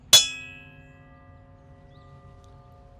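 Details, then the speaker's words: Ring test of a diamond blade just mounted on a cutoff machine (pipe saw), after checking it for cracks: one sharp tap, then a clear, steady ring fading slowly over a second or more. The blade sounds normal and uncracked. "All right, once your blade is mounted, you can do a ring test."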